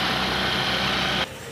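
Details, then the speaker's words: Suzuki Access 125 BS6 scooter after an idle-speed adjustment: steady fast buzzy idle well above normal, then abrupt cutoff; still racing, further adjustment needed, sensor may need replacing if not fixed. "क्या करना है इसमें अभी भी racing है इसलिए और जो है इसका एडजस्ट करना है"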